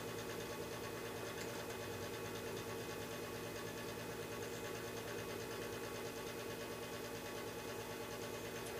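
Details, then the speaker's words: Lennox Pulse21 furnace after its controller board was replaced: clicking, then the exhaust/inducer fan motor comes up with a steady, even hum and no knocking or scraping. Normal startup with the green LED steady. "I hear clicking. I hear a motor, the exhaust fan or something kicking"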